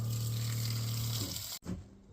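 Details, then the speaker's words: Boat on-board sink and washdown pressure pump, recommissioned: steady low motor hum under splashing water, then clean cutoff; pump runs on demand when water is used, working normally. "Okay, you can hear the pump going in the background, and also now when you use the sink, it comes out the side."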